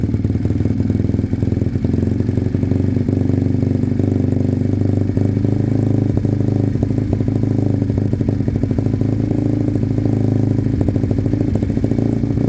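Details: Sinnis Cruisestar motorcycle at cold idle on choke, with a new aftermarket exhaust fitted: a sharp, fast puffing tick rides over the engine beat because the header pipe is not sealed at the head and is loose even with shims.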